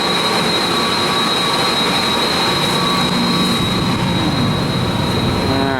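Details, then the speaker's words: Cooling tower fans running with the flat plate exchanger on and the chiller off; a steady high-pitched squeal over the roaring fan and water rumble from a slipping fan belt up on the tower that needs tightening. "hear that belt squeaking up there we got fans on top of these uh towers and uh we're still we're not running the chiller but we're running the flat plate so sounds like I got a a belt that needs a little tightening"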